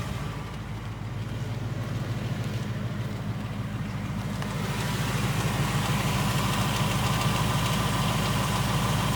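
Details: 2018 Ford Mustang GT, third-gen 5.0 Coyote V8, about 6,000 miles, on its third short block: a fast, regular light "Coyote/BBQ" tick over the idle rumble. Teardown found excessive piston slap and cylinder wall damage, on the rear cylinders.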